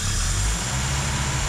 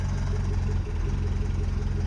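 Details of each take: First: Mercedes W115 after a hot compression test, air filter off: engine picks up cleanly and evenly when throttle is opened, deep steady drone without misfire or hesitation; healthy throttle response. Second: Mercedes W115 cold start after a compression test, fuel pipe left disconnected: the petrol engine idles evenly, then sags and falters as fuel runs out. Fuel starvation stumble.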